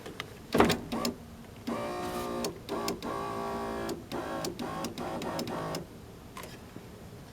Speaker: And looky there, there's the arm that is falling off the window track. So what the window's been doing is it's been being pushed up and down by the actual piece of metal down here for the window regulator, when it's supposed to be fitted on this.